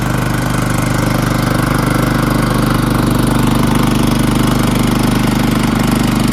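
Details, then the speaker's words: John Deere LT160 riding, rebuilt Kohler Command engine with 16 hp block, 15 hp crankshaft and rod, cleaned fuel pump, after three carburetors and two fuel filters; even steady single-cylinder thump, no misses, surging or knocking; normal running. "yeah riding around my John Deere LT1 60 with a rebuilt colar engine 16 horsepower block the 15 horsepower crankshaft and connecting rod cleaned out the fuel pump change three carburetors and two fuel filters"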